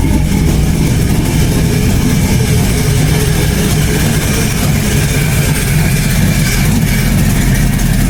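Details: LS-swapped Chevy Blazer V8 after ECU tune fix: loud lumpy idle and revs with a sharp puffing tick over the exhaust rumble following engine speed, an exhaust leak.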